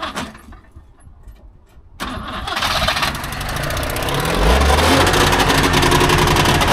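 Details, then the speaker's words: Recently bought Trabant 601 two-stroke, first start attempt: starter churns briefly, then it catches and settles into a fast, even two-stroke buzz with steady pulses; starts and sounds fine. "Okay, also ihr hört, der Motor springt schon mal an und klingt nicht schlecht."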